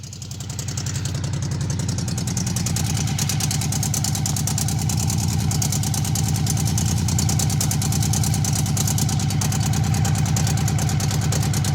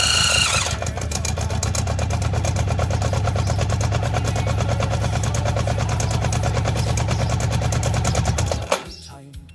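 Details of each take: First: Honda CB750 barn find, 65,000 miles, years outside: even, steady four-cylinder tick-over, soft regular patter, no knocks or misses, smooth as a sewing machine apart from a rattle. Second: Honda CB750, 65,000 miles, left outside for years and previously seized: fires on fuel squirted from a syringe, runs roughly about eight to ten seconds, then stalls once the primer is gone.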